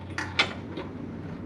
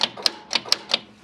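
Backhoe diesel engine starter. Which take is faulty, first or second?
second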